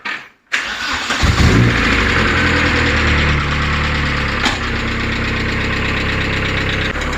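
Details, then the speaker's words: Vauxhall Nova SR with C20LET engine, started after fuel tank refit and 1.5 years standing: engine settles to idle with light fast tapping rattle, three to four a second; lifter rattle on cold start, expected to fade once warm. "it's rattling a bit because it's been stood for one and a half years it's done this before it's just the lifter"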